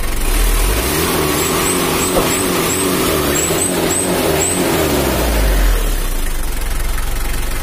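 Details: Mitsubishi L300 diesel after setting valve clearances to spec and clearing air filter blocked by muffler, which had caused white smoke: deep, even rumble rising and falling smoothly through revs, no knocks or misses; healthy.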